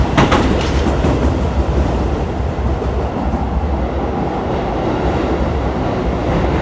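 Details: Keisei 3050 series train, recorded riding onboard: heavy low running rumble with a quick series of sharp knocks near the start from a wheel flat.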